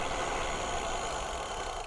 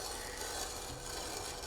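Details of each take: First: Bicycle disc brakes after Squeal Out anti-squeal paste was applied, braking at about 10 mph, camera on a chest strap: steady wind and tyre rush with no brake squeal or ringing; quiet disc brake. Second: Bicycle disc brake after applying Squeal Out paste, wheel spun by hand: steady dry rasp with no gaps as the rotor drags on the caliper pads.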